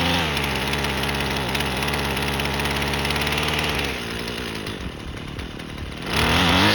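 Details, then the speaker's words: Husqvarna 128LD string trimmer, two-stroke on regular 2-cycle mix, after carburetor replacement plus new spark plug, fuel filter and air filter (before: barely ran, never off choke), trimming grass: steady buzz holding pitch, dipping and recovering as it bites; runs clean and strong, normal under load. "Okay, let's go ahead and now we can go try to trim some grass with it, I guess."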